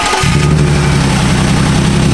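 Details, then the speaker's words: Six-cylinder idling with a faint stumbling beat, still misfiring after cylinder 6's injector was swapped for a known-good one; strong spark confirmed, and cylinder 6 has 30 PSI less compression than the rest. Cause unconfirmed. "Though the cylinder 6 did have 30 less PSI compression than the rest, it technically should still fire."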